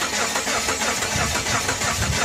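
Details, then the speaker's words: Engine the seller said was locked up, first bump of the key in Park: it spins over with a quick, even chuffing rhythm but never catches, and the owner says it doesn't sound good; crank no start, cause unknown. "i'm just gonna bump it whoa it cranks he told me it was locked up doesn't sound good though"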